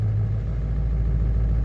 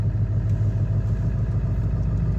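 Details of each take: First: Ford 7.3 Powerstroke diesel on a cold morning after a new glow plug relay and reconnecting the glow plug harness inside the head: steady, low, even idle with no knock or miss. Sounds healthy; battery voltage slightly low but within range, oil pressure normal. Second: Ford 7.3 Powerstroke diesel, manual, cold start at about 50°F without being plugged in. Glow plug relay was replaced and the glow plug harness reconnected inside the head. Lumpy, uneven idle clatter; starts easier but still not running perfectly.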